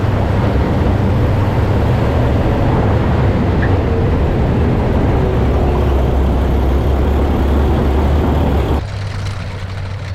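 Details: Historic armoured vehicle being readied for AusArmourfest, started for a test drive: deep, heavy, steady idle with an even low beat and no misses or knocks; it runs like a charm.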